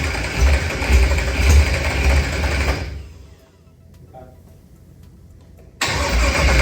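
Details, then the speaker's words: Procharged LS stroker (Callies crank and rods, 12.5:1, ported 823 heads, BTR stage 4 V2 cam) with a 12-1 crank trigger: repeated cranking bursts with quiet gaps, never catching. Crank-trigger settings were wrong while the pickup setting was varied from six to four. "what were you doing in between each of these failed attempts at starting we were playing with the number of two where the pickup was varying it from six to four"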